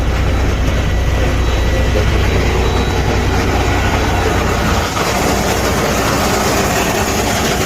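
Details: Freightliner Cascadia 10-speed transmission: loud, dense, rough mechanical racket over the running engine, harsh and constant; internal gear damage, transmission must be replaced and truck not driven.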